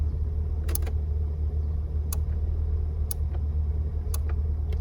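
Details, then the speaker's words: MG TF, engine idling in neutral, mic under the dash: sharp relay clicks in pairs and singles over a steady low idle as the heated rear screen button is pressed, after fitting a new micro relay; normal relay switching, screen works. "we can hear the relay switching. So, fantastic, job done."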